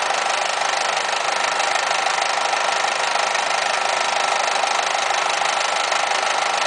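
Quick rhythmic ticking about three times a second over a thin idle with the air conditioning running; cause not yet identified.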